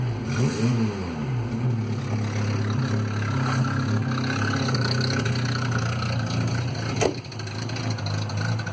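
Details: Citroen Visa 11 RE, just bought with an exhaust leak: small petrol engine idling then blipped, revs rising and falling with a raspy, puffing edge over the note from the leaking exhaust.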